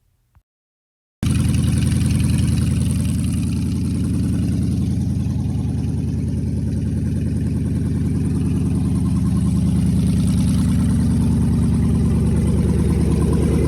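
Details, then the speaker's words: 2014 Chrysler 300 5.7 Hemi swapped into a car, cold start and idle: loud, lumpy V8 with a fast metallic rattle from the exhaust pipe left open where the catalytic converters were cut. Not engine knock. "So when I pulled the motor, the original people, they cut the catalytic converters. So like the pipe right there is just rattling because it's open here right now."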